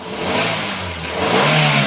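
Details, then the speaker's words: 2015 Daihatsu Gran Max 1.3 pickup, engine dry with no smoke, revved hard: it climbs smoothly into a clean steady roar with none of the ticking 'cek cek' common on Gran Max engines, no knocking, still strong and healthy. "kalau ini masih halus masih Oke coba kalau saya geber ini mesinnya masih oke mesinnya masih galak gitu ya kalau geber itu masih galak"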